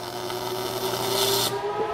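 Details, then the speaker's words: Smooth steady hiss with faint even hum, no sizzling-bacon crackle: MIG spray-transfer arc, correctly set, after turning wire speed down from globular/short-arc, welding 2-inch (50 mm) tube of about 3 mm wall; very hot, quick weld. "is not sizzling bacon like I'm used to hearing yep that's spray arc and that was a quick weld as well super hot"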